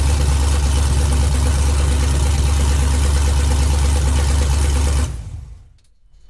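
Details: 1969 Chevrolet C10 patina build with freshly installed engine on its first start after fuel, injectors and ignition hookup (some sensors still unconnected): strong, even low rumble with steady beat, no knocks or misses, then clean shutoff; normal healthy idle.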